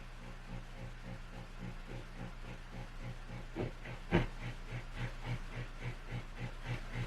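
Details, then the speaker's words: Ampeg Super Jet SJ-12T amp, powered on with tremolo intensity raised: faint low hum that pulses softly about twice a second, louder with an instrument plugged in; noise traced to a bad output valve, fixed by replacing it. "it's not super audible it's a little bit louder once you plug an instrument in even though this noise isn't super loud there's probably something else going on that's happening intermittently"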